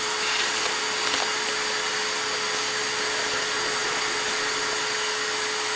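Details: Shop vacuum during Cockshutt 90 carb and manifold removal: steady high whine with rushing air, fixed tone near 450 Hz, the sound when it is supposed to shut off, likely full.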